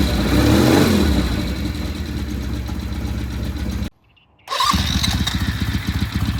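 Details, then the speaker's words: Restored vintage British motorcycle, just started in shop and warming up: single-cylinder style thumping idle at about four beats a second, steady apart from a brief cut; normal idle. "all right we're going to let this sit here and warm up then we'll take it outside that sounds"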